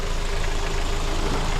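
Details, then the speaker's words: 2007 Hyundai Sonata 2.4 L four-cylinder, just over 142K miles, after engine air filter replacement and a loose 10mm nut tightened: steady, even idle hum, no leaks or air sucking from the intake; normal idle. "This is on there tight. Don't hear any leaks. No air sucking anywhere."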